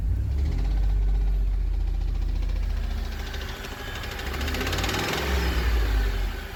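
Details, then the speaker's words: 2008 Ford F-150 XLT 4.6L V8 with a knock at about three a second from the left/passenger side. It appears only after warm-up, is quieter at held rpm, grows on acceleration and eases as revs drop. Cause unknown. "If I hold the RPM, it's still there, but not as loud, but definitely on accelerating, that's when the noise really comes in and decreases as the RPM drops."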